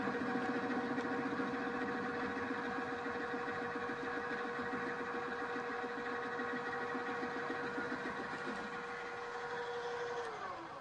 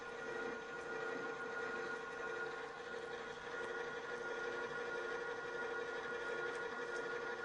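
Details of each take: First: Milling cutter held in a drill-press chuck (poor holding method) fed across a part: steady motor hum under rough pulsing rumble and chatter, about three to four beats a second, leaving surface irregularities around ten-thousandths of an inch. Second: Drill press after engaging the transmission lever into the left position, drill speed very different: a steady, even hum of the drill cutting with no rhythmic chatter or judder; the chatter is eliminated.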